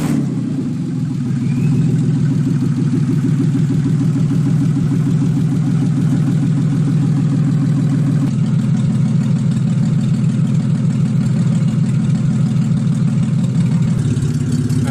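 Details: Freshly built forged 3.1-litre custom S52 six-cylinder, first start after ECU swap fixed P0600/P0601 codes: steady smooth warm idle, low rumble, no misses or knocks, running cleanly.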